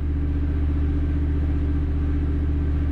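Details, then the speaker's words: Standby generator running steadily after transfer three to one completed, confirming gas supply while troubleshooting a Lochinvar boiler locking out on low air; steady low drone, even hum around 80 Hz, no knocks or misses, normal running. "well the generator is running transfer three to one the transfer has been completed so we're not out of gas because that's running"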